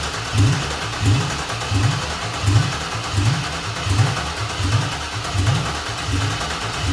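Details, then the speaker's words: Chevy Silverado 1500 with swapped-in 5.3 LS V8 from a 2000–2001 Tahoe, first start-up: rough lumpy idle with a heavy uneven thump about once a second; one plug wire mouse-chewed and missing, so one cylinder dead from no spark. "so apparently the ls is you got to have all eight spark plug wires who knew"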